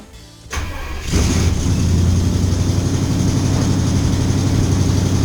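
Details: 1975 Pontiac Firebird V8 with 2-barrel carb, after ignition cylinder replacement, started with starter fluid: brief crank, then catches and settles to a steady, even idle, no misfire or knock, over 60 lb oil pressure.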